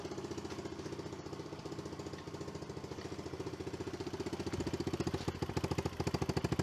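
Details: Early-2000s Kawasaki KLX110 dirt bike after kickstart/sprag clutch repair, carb cleaning and service: even, steady small-single putt-putt at fast idle with regular firing pulses; healthy, running properly.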